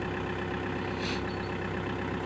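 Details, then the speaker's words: 1999 Audi A4 Avant 1.9 TDI diesel, very cold start in Hungarian winter after weeks buried in snow: steady, even diesel clatter at constant idle with no misses or knocks; normal cold diesel idle, healthy. "the diesel engine starts for the first time [Applause] yeah she's on nicely sound I"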